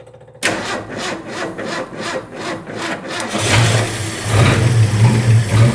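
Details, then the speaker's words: 1967 Ford F-100 with a 240 inline-six and three-on-the-tree manual, newly running, timing not yet checked: the engine settles into a fairly even, smooth idle with a faint occasional stumble, suggesting a slight remaining miss. "All right. Well, hopefully you can hear that a little bit better, but it really is running pretty smooth. I think we've got a little mist to it still."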